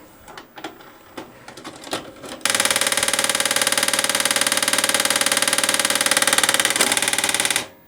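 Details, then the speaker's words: Toshiba RDXV50KF DVD/VHS combo with internal hard disk: tape loads, plays, fast-forwards and rewinds fine, but after pressing stop then eject a steady rapid mechanical chatter runs about five seconds, then the unit shuts off; cause unknown. "and then it shuts off so if you know what that is please let me know in the comments down below"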